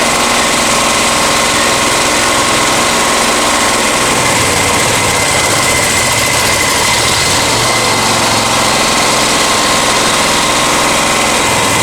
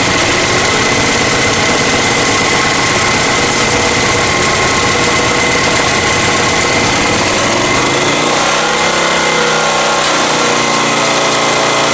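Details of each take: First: Honda EX1000 generator after a carburetor cleaning, running without its air filter: a loud, busy drone with an uneven, labouring note that never settles. The engine wants to run but struggles; cause suspected, not confirmed. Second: Honda EX1000 generator after carburetor cleaning, choke fully off: steady, even engine note with no hunting or surging, settling after about eight seconds and running cleanly.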